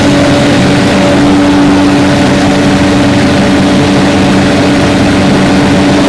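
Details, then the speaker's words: 2007 Finn B70RHD straw blower, Kubota V1505 4-cylinder diesel, 617 hours, just fully serviced, twin disc clutch: loud steady diesel drone with constant hum, no knocks or misses; runs excellent. "Let that come back down to speed. Kick your clutch out. Engine runs excellent."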